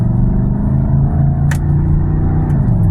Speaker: that's the reason why the engine light is on, because Granddaddy's got an exhaust leak.